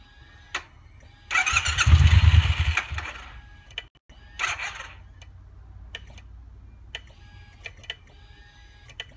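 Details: Triumph T120 motorcycle, no start: short bursts of starter whirr with sharp clicks between as the clutch lever and starter switch are worked, engine never catching; owner suspects clutch or starter switch sensor; intermittent starter engagement.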